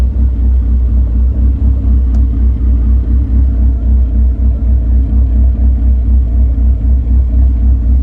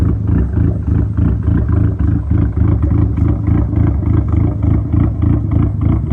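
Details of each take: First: SRT4 with big cams and a big turbo, after tune adjustments reportedly including idle raised 100 rpm for smoothness: a steady, even idle rumble with no stumble until shut-off. Normal idle. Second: Dodge SRT-4 first idle after big cams, big turbo and much larger injectors on a rough estimated base tune: lumpy, uneven idle pulsing about three times a second with a loping beat; rough idle from untuned fuel map, later adjusted.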